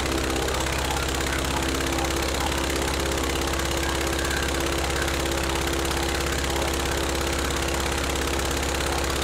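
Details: Rebuilt Praga B2 aero engine, last run 1 September 1939 on Hillson Praga G-AEYM, test-run bolted to a Vauxhall, at full throttle with lots of smoke: hard, even bark with fast regular firing, no stray knocks or grinding; running healthy.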